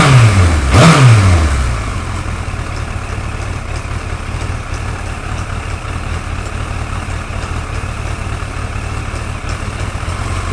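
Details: Suzuki GSXR 1100 motorcycle, brief rev then steady idle with a faint, fairly even light tick over the low exhaust rumble; engine ticking, source undetermined.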